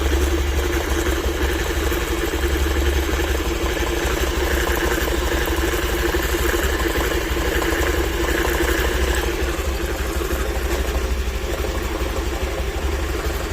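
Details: Honda Activa scooter idling with an uneven, slightly rattly pulse over the low engine hum; abnormal clutch-area noise, owner unsure of the cause.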